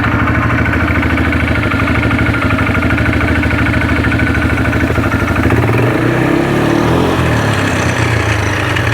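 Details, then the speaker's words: 2009 Arctic Cat DVX 300 idling in neutral with the primary case opened: a loud, uneven rattling chatter from the primary clutch over the engine beat, cause not yet found. "Yeah, clutch is a little loud, but you can see it sets there. Does pretty good."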